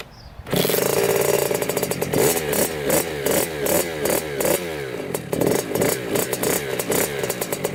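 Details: 2000 Kawasaki KX65 two-stroke, first start after full engine rebuild: kicks over and fires at once, then crisp rising and falling revs with clean pulsing bursts; sounds healthy.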